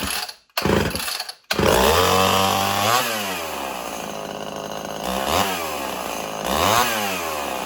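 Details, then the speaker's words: Old Homelite XL 12 two-stroke chainsaw, hard to pull when hot, revs up and sags unevenly, struggling to idle; owner suspects a long-stored carburetor losing pressure and loading up, possibly worn piston ring. "So that's the reason why it's been having idling problems, because it's been loading up all the time and it kept trying to die."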